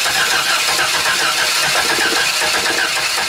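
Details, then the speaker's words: 2005 Chevy Astro van that won't start in rain and high humidity, a known problem. A new coil was fitted, grounded and the distributor cap cleaned, and the battery was recharged. Starter churns steadily with faint hints of firing but never runs. Crank, no start. "Alright, so 2005 Chevy Astro van, no start, high humidity, lots of rainy weather. Common problem with these frickin' vans."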